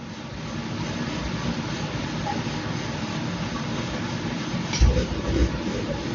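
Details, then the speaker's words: Sonofresco 2 lb propane coffee roaster running in cold weather: steady roar of drum and flame with a brief surge near the end as the gas switches on and off; normal burner cycling. "So the gas is switching on and off. That's how it works. That's the sound difference."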